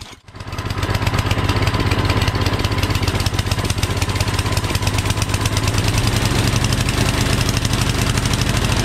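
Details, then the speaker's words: MTD Yardman 8.5HP 26-inch two-stage snowblower, single-cylinder, after a carburetor clean (pilot jet, bowl, emulsion tube): starts and settles into a steady, even idle that no longer surges. "Runs good and smooth, doesn't surge anymore. That's idle. That sounds really good."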